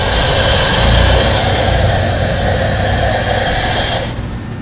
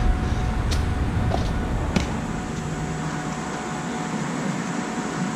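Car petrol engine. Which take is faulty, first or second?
first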